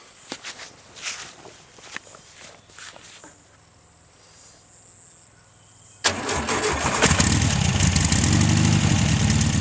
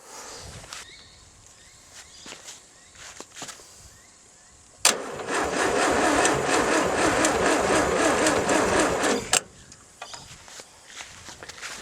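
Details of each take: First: VW 1600 flat-four, sat 10 years exposed to salt spray with no air filter or distributor, first start: quiet clicks, catches at six seconds, settles into steady even idle while blowing rust out the exhaust; normal running. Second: 1600 VW air-cooled engine, sat about 10 years exposed to salt spray without air filter, not run long: about four seconds of sluggish cranking, roughly four turns a second, no firing; slow cranking, owner suspects poor factory braided earth cable.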